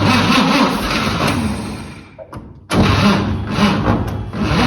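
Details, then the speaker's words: 1954 Chevrolet 3100 truck, original 235 straight six converted to 12V, parked since 1978: sluggish uneven cranking about four turns a second that fades and stops; starter labouring, owner suspects it's overheated. "starter don't give up let's Let It rest a while I think our starter's hot probably again"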